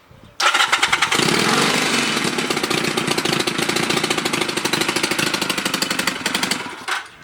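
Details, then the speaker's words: 250cc Chinese Honda Rebel 250 clone motorcycle running with a sharp, rapid popping chuff at every firing, louder than normal; exhaust leaking at the head joint, left unfixed because the engine's screw holes are broken. "It has some exhaust leaks but I couldn't fix it because the screw holes in the engine were broken. So it will be loud."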